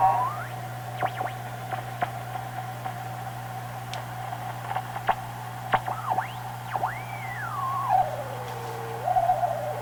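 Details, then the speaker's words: Marconi 201A AM/shortwave radio weak on shortwave, tuned around 8 MHz: hiss and a steady hum with whistles that swoop as the dial moves. Owner suspects oscillation or an alignment problem, unconfirmed. "oo sounds like an oscillation"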